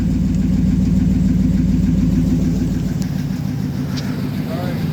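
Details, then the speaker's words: 2012 Dodge Ram V8 after new Diablo tune and cam/lifter/oil pump rebuild at 208,935 miles, cold first start, exhaust heard: deep even idle rumble, no misses or stumbles; sounds great, healthy. "She sounds great, huh?"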